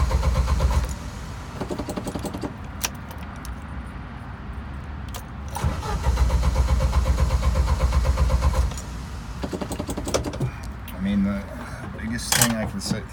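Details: Jeep YJ cranks repeatedly in steady bursts of about four turns a second but never catches. It died while driving after running rich with a strong gas smell in the cabin; the intermittent problem is still unresolved.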